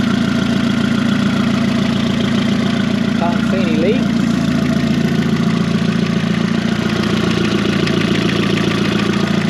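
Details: 20v turbo VW Caddy just started after coolant fill: engine catches and settles into a steady, even idle with no knocks, misses or rattles; healthy normal idle.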